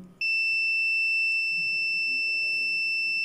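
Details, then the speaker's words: Logitech S-220 2.1 speaker amp board (bass output dead), continuity test on a 100 µF capacitor: unbroken high beep never stops despite waiting, indicating a short; shorted capacitor suspected. "100 mikrofar adlı bir kondansatör buna rağmen bakın hiçbir şekilde Bip sesi kesilmiyor Yani kısa devre modunda"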